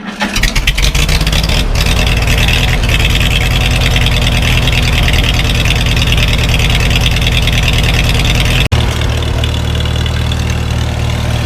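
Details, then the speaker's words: Farmall H on its first start after winter, on a cold day with thick oil and the choke on: it catches and sputters with uneven firing, then smooths to a steady low chug as all four cylinders come in; rough cold-start idle that clears. "sputtered a little bit at first but it's smoothing out now"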